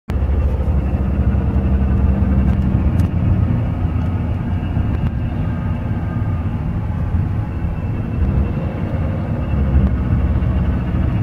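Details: 2007 Nissan Altima recorded inside with window up while accelerating above 25 mph: steady low drone and hum, buzzing with window down; not the replaced front wheel bearing but a worn bearing in the CVT transmission.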